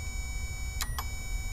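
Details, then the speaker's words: Lexus GS400 drive-by-wire throttle body bench-tested by grounding the clutch and motor; two sharp clicks over a low hum as the clutch engages properly, then the motor runs, verifying the throttle body works. "this that's the clutch that you're hearing there they click and you're going to hear the motor that's the motor"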